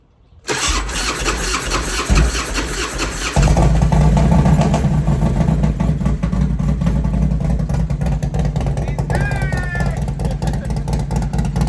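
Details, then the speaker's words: 2005 Harley-Davidson Road King V-twin after a fuel pump replacement to cure sputtering at higher rpm and cruising: starts quickly and settles into a steady, even rumble with clean blips and no sputter; normal running. "There we [Music] go. Sounds good."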